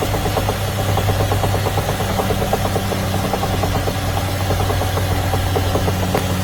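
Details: BMW X5 M / X6 M Competition, V8 with 48V technology: a rapid, regular knock taps through the engine drone for the whole run, steady in rate; internal knock, cause not pinned down.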